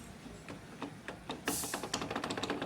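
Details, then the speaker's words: Honda Bros 150 motorcycle at idle: sharp, dry metallic knocks coming faster toward the end, plus grinding when pulling off in first gear; a loose gearbox primary shaft bearing (6203) that needs a full teardown. "a moto tá vai sair de primeira e fica arranhando a masha naqueles arranhãozinho aí o e batendo quando está em marcha lenta fica batendo rolamento"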